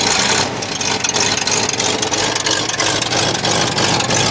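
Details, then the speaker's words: 1963 Oldsmobile started with choke set after the exhaust leak fix, later warmed with timing bumped down: uneven, stumbling idle with a lumpy chuff dropping out irregularly; the persistent miss is from piston, head and cylinder-wall damage, likely needing another engine. "it still has that Miss but I expected that after I opened it up and I saw the damage to the piston and the head and And the cylinder wall"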